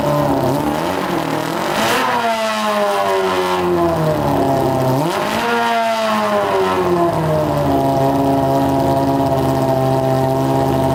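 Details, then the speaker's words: Honda CBR600 four-cylinder engine in a custom go-kart, on a gravity-fed gas tank: smooth, clean revs rise and fall with a steady rhythm. It revs out fully, all cylinders seem to be firing, and it sounds healthy. "we're getting closer it's uh sounding pretty good it revs out all the way too i think all the cylinders are running now though man sounds pretty good"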